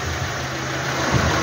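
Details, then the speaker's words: Renault Logan 2012 1.6 8-valve petrol, after repair for misfire and loud cylinder head noise, spark plug kit replaced: steady even low idle hum, no knocking or tapping, engine now silent; normal idle. "cadê o barulho você não escuta mais barulhos de capô do carro ou melhor barulho do motor acabou silencioso"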